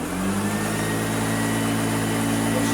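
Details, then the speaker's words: Hoover Junior U1034 upright vacuum, an old found example, running: a steady, even motor roar over a constant low hum, with no rattles or surging. This is how a good Hoover Junior should sound; normal motor run. "because that is what hoover jr should sound like if you have a good hoover junior it should sound like that"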